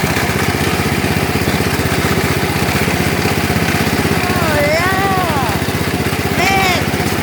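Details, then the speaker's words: Lawn tractor restarted after a cold start on a cold day: a rough, rapid pulsing idle with a dragging, rubbing rasp underneath; the cooling fan broke off inside and rubs the engine shroud. "that's the cooling fan it broke off inside so I don't know why so that's why it's making that sound when it's running"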